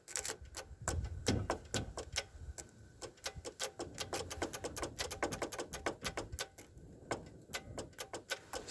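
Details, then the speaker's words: 1992 Ford Flareside truck revived after sitting derelict, ignition lock just reinstalled, battery reconnected: at key-on only a quick irregular run of sharp clicks with no fuel pump hum underneath; pump not priming, cause unknown. "i'm going to go hook up the battery and see if i can hear the fuel pump run and then maybe check see if i got spark all right let's see what happens here i hear clicking but i don't hear a fuel pump running"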